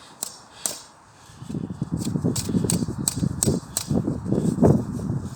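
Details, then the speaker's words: Citroen C4 drive belt lower tensioner, removed and spun by hand: a dry, gritty rumble with scattered clicks. The pulley is not damaged, but its bearing is suspected slightly worn; a new tensioner and new belt are to be fitted. "think the bearing inside is a bit worn, as you can hear."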